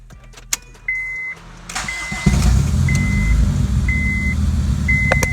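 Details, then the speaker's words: 2002 Honda Civic EX (EM2), detuned, power steering deleted, revs fine to 7k: chime beeps, crank, then a slightly choppy uneven idle; lumpy idle that sounds like it has a cam, but runs well. "like kind of just sounds like it has a cam doesn't sound too bad though it runs really good"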